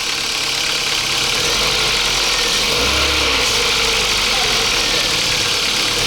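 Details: 2007 Kia Ceed 1.6 petrol, 150,000 km, cold start: fast, somewhat uneven top-end ticking knock that fades as it warms, oil consumption up; suspected intake cam phaser, noise gone after phaser replacement.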